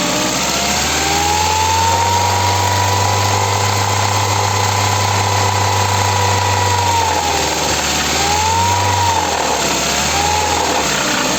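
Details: Ford engine at steady idle with a quick irregular knock riding over the hum, roughly three to four a second; engine knock, cause unknown.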